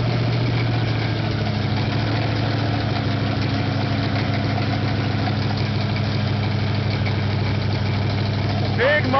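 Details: Nova with thumper cam, first startup after rebuild: lumpy, uneven idle that keeps hunting and won't settle; rockers need setting again and carburetor needs adjusting.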